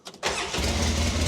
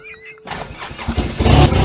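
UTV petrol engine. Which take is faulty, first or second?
second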